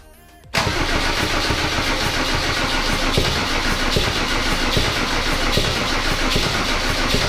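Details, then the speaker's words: W124 with OM606 turbo diesel on first start after a new battery: the throttle was held partly open, so the engine jumps straight to a loud, fast, even roar. The owner first feared a runaway. "but if it was running away i couldn't no wait what was that wow that was that was bad for the engine that was like max rpm stayed off the bat"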